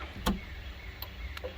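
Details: 1978 Firebird Formula, newly rewired from scratch with custom gauges, on first start: sharp single flasher ticks under a second apart over a quiet engine hum; only one blinker indicator lights, which the owner suspects is not a wiring issue.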